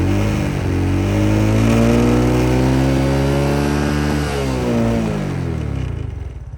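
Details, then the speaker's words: Restored SYM Sportrider 125i motorcycle after overhaul and fuel filter replacement: note climbs cleanly with throttle, holds, then falls back smoothly with no stumble or bog; throttle response healthy. "Jom kita start tengok sebu lagi ke tidak. Okay, hidup senang Respon macam okey"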